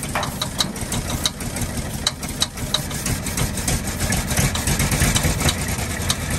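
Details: 1948 Ford F-5 ice truck six, not run in 45 years, rough after first start with sharp irregular pops about three a second; number six lifter believed catching on its spring, not a rod knock.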